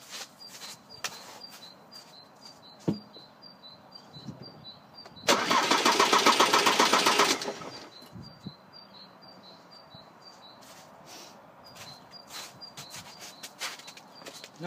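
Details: Diesel with Delphi pump being tested in-vehicle for hard starting and stalling, gauge on the high-pressure side: one steady two-second even cranking burst, stops cleanly; gauge then reads about 300 bar, at least over 200; normal cranking.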